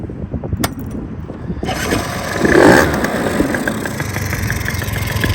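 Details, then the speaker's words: Suzuki Choinori swapped to a two-stroke engine, a daily commuter, catches and settles into a rough, busy idle. A loud hollow induction roar from the filter sits over a fairly quiet exhaust; healthy start, noisy filter. "Fair amount of induction noise from this filter. The exhaust is actually quite quiet."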